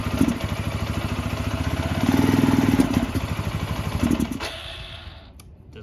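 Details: Barn-find 2005 Suzuki GZ250 single with 950 miles, just started on starting fluid and warming up: uneven thumping that stumbles under throttle, then nearly dies. Rough running; owner suspects carburetor trouble, needing more choke, and old gas.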